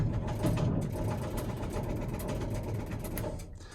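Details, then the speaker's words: 2000 Stewart & Stevenson M1085A1 5-ton military diesel on old 24-volt batteries. Labored cranking about four beats a second, weakening and fading without catching; owner believes the batteries are cooked. "All right, 4 hours into this thing. I think these batteries are cooked, being as old as they are."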